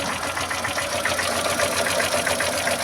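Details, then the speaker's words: Ford Fiesta 1.0 Zetec Rocam with the oil light on and noise low in the engine. Sharp, regular knocking at three to four per second over the idle; the teardown found the con rods at fault, with loose pistons and a carboned head. Rod knock. "tá o barulho. Então, só desligar ele porque daí pra frente é só prejuízo."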